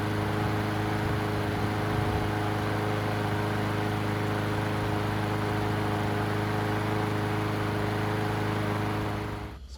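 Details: Murray push mower, after new carburetor and balanced, sharpened blade: steady, even hum at constant speed for nine seconds, no misses or hunting, then winds down; runs healthy.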